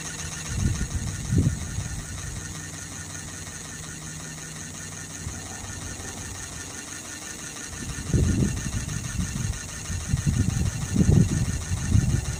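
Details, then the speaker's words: Sirius steam engine generator plant test run, boiler holding 40 psi under full load, warm day: soft chuffing bursts come and go over a low rumble, with an even quieter stretch between; normal running under load. "Boiler's up to 40. And again, under full load, that's all this boiler will maintain is 40 psi."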